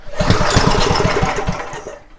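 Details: Homelite 2500 W generator that won't start, choke off and spark present: a few ragged firing pops after the pull, then it slows and dies within two seconds. Fuel delivery is suspected, not confirmed.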